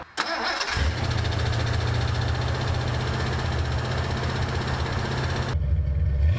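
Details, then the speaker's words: 1984 Mustang GT-350 V8, cold start on a mild morning after transmission, cooling system, tune-up and exhaust work, with crossed plug wires corrected. Brief crank, then a steady, even low burble with no misses or pops, healthier than before: normal idle. "Yeah, this is a whole lot better than what it was, man. That's where it should be. That sound just sounds healthier."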